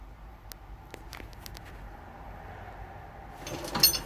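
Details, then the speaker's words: Kubota L4330HSTC tractor just after stalling, key untouched, warning lights on: sharp irregular clicks about three a second from a relay underneath, tripping on and off like a breaker; cause unknown. "And I hear a relay underneath that just clicked. I'm not sure what exactly that is. I haven't touched the key or anything. You can kind of hear almost like a breaker. It's tripping on and off."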